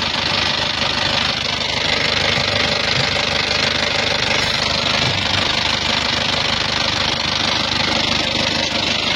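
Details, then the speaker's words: Isuzu Panther Touring diesel, cylinders previously re-sleeved with non-original press-in liners, idling with a harsh, clattery tick of about three per second over the engine drone; rough engine noise, cause not yet found, alongside oil leaks and thin smoke when hot. "Yang pertama, suara kasar. Bisa teman-teman dengerin ya. Ada suara tek tek tek tek tek, ada tek tek tek tek, banyak ini."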